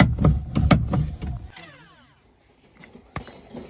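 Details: Car steering knocking ("kat kat" noise) as wheel is worked: dull low uneven knocks about four a second; rack full of water stored for years, rusted, rack, pinion and bearing worn out.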